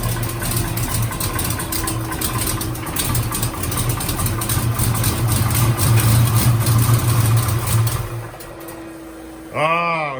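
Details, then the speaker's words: Foxbody Ford Mustang fuel-injected V8 after fitting a new Ron Francis injection harness, suspected part of earlier problem: freshly started, steady slightly lumpy cold idle, even without misfires; otherwise healthy, idle adjustable. "she's cold though it's cold though yeah we can adjust it"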